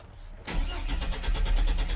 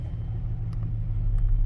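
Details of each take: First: Chevrolet Silverado/GMC Sierra truck after a new coolant temperature sensor was installed for a faulty reading, with starting trouble and power loss while driving: starter chugs nearly two seconds before catching, then idles smoothly; a slightly extended crank. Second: GM Sierra/Silverado after replacing a coolant temperature sensor that misread: a slightly extended crank, then a low, even idle rumble that holds steady with no stumbling or hunting; idles normally.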